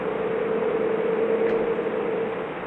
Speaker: you know you want to talk about technology let's listen to this noise I don't know if you can hear it that that sound is uh the Xfinity router